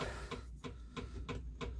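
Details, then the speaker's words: Morris Minor 4-door on jump pack (battery flat) after ignition barrel swap: ignition key on, electric fuel pump clicks sharply and evenly about three a second, engine not running; normal priming. "So, ignition key. Pump's making a noise."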